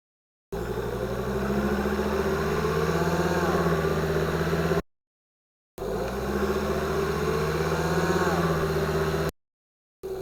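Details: 2005 Volvo XC90 2.5T AWD, contact mic and lavalier under vehicle, repeated pulls from stop: thin whine rising in pitch over engine drone, appearing near 2000 rpm as 2nd gear engages; gear whine suspected, not confirmed.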